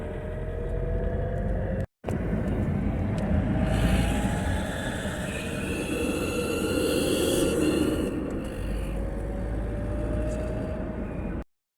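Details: 2007 Toyota Hilux 2KD diesel after timing and alternator belt replacement, accelerating: intermittent whistle to shrill squeal rising as it pulls, seemed from air intake; points to a leaking turbo exhaust gasket.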